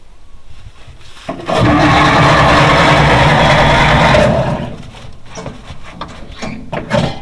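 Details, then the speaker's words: 1940s Dodge military truck converted to fire truck, sitting about 30 years: steady starter cranking, engine turns over evenly and builds oil pressure but never catches; no spark. "Building oil pressure. That's good to see. But no spark."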